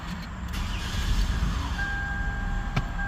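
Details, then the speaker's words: 2008 Toyota Avalon at startup: as the engine catches a thin whine slides down in pitch, then holds as a steady high tone over the idle; cause unknown, owner asks what it is. "you heard that let me do it again it's like a winding sound like a what do you explain that what is that how do you explain that"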